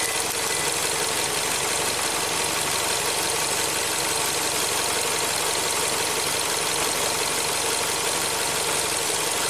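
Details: 2017 Ford Transit Connect after new battery: steady, even idle with smooth hum, no knocks or misses; charging at 14.6 volts, about 5 amps into battery.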